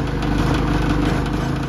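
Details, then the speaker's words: Harbor Freight Predator 3500 inverter generator with erratic zero, normal or high output voltage and a rodent nest inside: the engine drone pulses and wavers unevenly. It is running rough, and a dirty carburetor is suspected. "but you can hear that the generator is running really bad the carburetor needs some cleaning most definitely"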